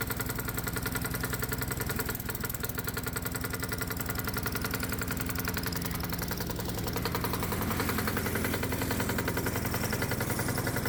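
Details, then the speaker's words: Low-compression gasoline lawnmower engine run as hot-bulb semi-diesel on 100% diesel, spark plug disconnected, stack torch-heated, light load: hard, chuffing single-cylinder beat wavering unevenly; rough running from low compression. "So oddly enough, running on 100% diesel fuel with the spark plug disconnected, this low compression gasoline engine has a tough time with light loads."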